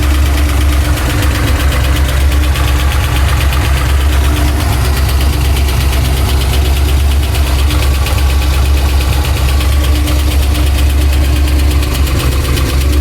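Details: Pontiac Trans Am V8 idling, oil pressure erratic: loud, steady idle with a deep, fairly even knock at engine speed, heard all around the engine rather than up top like a past lifter failure; owner suspects crank, not confirmed.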